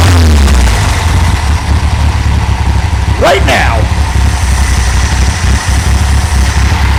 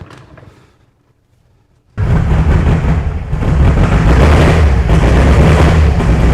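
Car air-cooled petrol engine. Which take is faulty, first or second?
second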